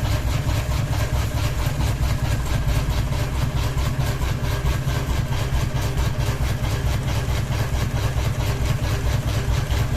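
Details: Ceiling fan with one blade wobbling and a ball hanging: heavy regular thumping about 136 beats a minute under a steady drone; unbalanced blade making the fan wobble.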